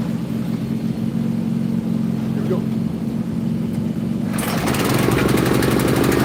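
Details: Briggs & Stratton 420 single-cylinder engine mounted on an old mower frame, carburetor and badly varnished fuel system cleaned, first start: a steady, even drone with revs rising smoothly, smoking less. Normal running.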